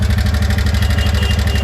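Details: TVS Ntorq scooter at idle with warning lights on: hard regular metallic knock about fourteen times a second, louder with throttle; one-way starter clutch bolt found loose.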